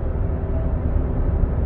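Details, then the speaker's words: 2016 Buick Enclave, 58,000 km, driving at 80 km/h (50 mph) on pavement: steady low hum that gets worse turning left and diminishes turning right, pointing to a worn right front hub bearing. "so at 80 kilometers 50 miles an hour you hear a hum let's see if it's load sensitive so when you turn to the left the noise gets predominantly worse"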